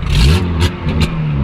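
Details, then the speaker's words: 1983 Volkswagen Golf being towed, no exhaust, almost no oil topped with used oil mixed with brake fluid and coolant: loud, raw, rattly revving blips before it dies; harsh engine noise. "Boah! Hör auf, Alter, das hört sich absolut bestialisch an."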